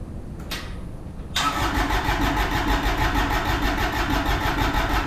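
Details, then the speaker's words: Kubota RTV1100 with D1105 diesel, cranking on battery boost before jump pack; steady starter churn about three turns a second, too slow, no exhaust smoke, never starts; injectors later found faulty. "I'm not thinking that's fast enough. I'm not seeing any smoke either. It should be fueling."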